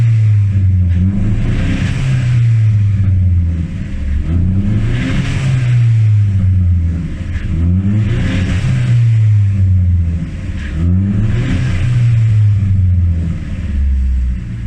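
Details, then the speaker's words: Nissan S13 200SX with CA18DET after head gasket replacement and second-hand injectors fitted, throttle blips: light metallic rattle on the revs, present since day one, possibly the power steering mount; unconfirmed. "you guys can still hear there's still a rattle. That's something we've experienced since day one. And apparently that might be the power steering mount."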